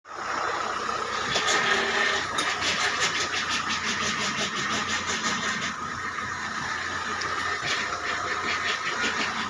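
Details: Indigo: thin steady high whine over the running engine with scattered light ticks; power steering noise, cause unknown.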